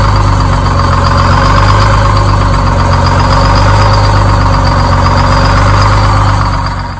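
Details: Detroit Diesel 6-71 bus engine just started after a spray: loud, steady two-stroke diesel idle, even busy beat, no misses or knocks; running smoothly.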